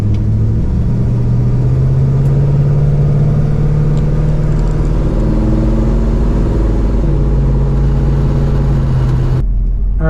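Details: 1968 Pontiac LeMans carbureted V8 with new exhaust, float bowl level recently dropped after a fuel pump issue, pulling away from a stoplight: deep, even note pulls cleanly and holds steady, no misfire, popping or stumble. Normal acceleration.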